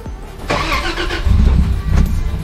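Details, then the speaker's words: 80 Series Landcruiser after alternator, fusible link and alternator plug replacement, battery lead reconnected: engine cranks briefly, catches about a second in, then settles into an uneven, lumpy, deep idle while the computer resets after battery disconnection; old belt noise gone. "she starts it's going to run like a bag because we've disconnected the battery and the computer has to reset"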